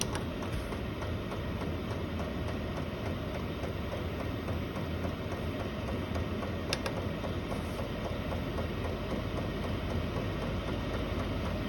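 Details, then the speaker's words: Chinese diesel RV air heater in a snowmobile trailer, running about 20 minutes (cabin 12°C/54°F), turned up to high: even blower rush with fast, steady light ticking from the fuel pump as fan and pump increase; running normally. "It's just kind of settled in at, so you can see, I want to turn it up. Turn it all the way up and you can hear the fan and the pump increase."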